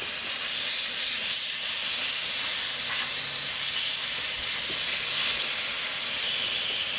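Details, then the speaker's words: Forged SR20 turbo engine in S14 drift car, engine off, boost leak test with intake capped and compressor pressurizing: continuous sharp high hiss of escaping air; major boost leaks at intercooler hoses. "well as you control the heat that's at 2300 and we have mad boots leaks major one"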